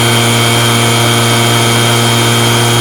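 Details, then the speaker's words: RedMax two-stroke blower after replacing a loose, vibrating fan that caused rattling, primed and restarted, smoking from burning off parts cleaner; loud, steady drone with even high note and no rattle, running cleanly. "see it's smoking and that's how you replace that rattling noise on your blower and install that fan"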